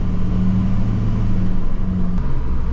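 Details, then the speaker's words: LBZ Duramax after turbo replacement, warmed up, boost confirmed by manifold air pressure data: deep, steady diesel drone pulling under load with no whistle, flutter or rattle. Normal turbo boost. "I can feel the turbo respond. I can hear it respond. So we're good."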